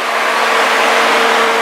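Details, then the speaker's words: BMW 3 Series electric radiator fan comes on with the car running: constant airy whoosh and faint hum, no rattles or scraping. "let me go turn on the car and the fans should turn on the fascial turn on right now come out here you guys can hear it already the fan is on"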